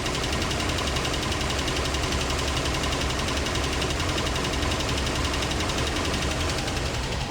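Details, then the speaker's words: Land Rover Series 2A first start on unleaded petrol after years on LPG, LPG tank and old petrol tank removed, fuel pump replaced, possibly flooded first; even fast-ticking idle, no misses; carb dripping, needs rebuild: normal idle. "He's running. Okay. Okay. So, we got that running."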